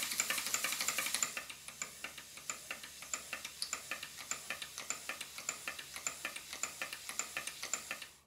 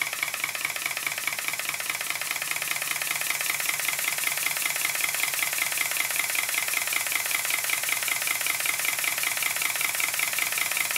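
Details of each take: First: Stuart Models large steam plant, Southworth duplex pump during valve timing: quick clicking stroke beat near 100 a minute, slightly uneven; valve blocks only roughly set by eye, still need measured adjustment. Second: Southworth duplex pump of a large Stuart Models steam plant, its valve timing roughly reset, running without pumping water and with the water chest loosely fitted. Quick, light exhaust beats at a steady metronomic pace, far more even than before.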